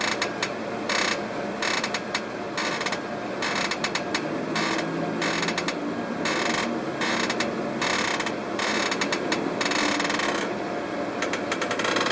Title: PERRY CREAKING NOISE